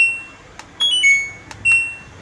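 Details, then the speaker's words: LG front-load washing machine, start/pause button fault despite switch, diode, LED and PCB traces testing OK: several uneven short high beeps on pressing start, but no motor or drum follows; start registers only sometimes. "ഇനി നമ്മൾ ഈ start button press ചെയ്ത് പിടിക്കുക. അപ്പോൾ കണ്ടോ, പക്ഷെ നമ്മൾ press ചെയ്ത് കഴിഞ്ഞാൽ ഒന്നും വർക്ക് ചെയ്യത്തില്ല."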